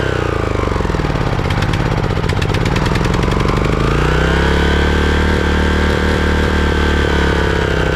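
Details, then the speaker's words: Craftsman riding mower engine after replacing completely clogged carburetor that caused surging: pitch swings briefly, then holds steady even beat with no hunting or surging; normal running. "so okay well it looks like it was the carburetor all along"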